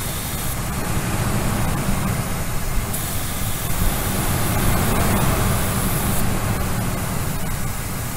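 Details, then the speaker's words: 2002 Ford F-150 idling roughly from vacuum leaks, with no codes stored: a spray can hisses as brake parts cleaner is sprayed, and the idle rpm rises as the engine sucks it in, confirming the leak location. "you guys hear that the rpms went up so the back the engine is sucking in the brake parts cleaner and this stuff is very combustible"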